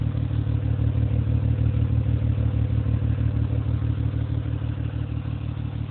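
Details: 2005 Acura TL 6-speed manual at idle, recorded by phone near the exhaust tips: a heavy, loping exhaust pulse at about three beats a second with a stumbling rhythm like a cammed V8; misfire, and the owner notes loud valves.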